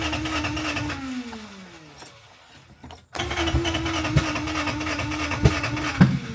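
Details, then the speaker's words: 1987 Honda CRX Si cranked after the timing belt install: the starter turns the engine at an even beat with a faint whine, but it never fires. The ECU was found badly rusted and water-damaged, and fuel was not yet reaching the injector from the tank. "Okay, so we got the timing belt installed. I got all this going. We've been cranking on it. Nothing. I'm not sure what's going on with it."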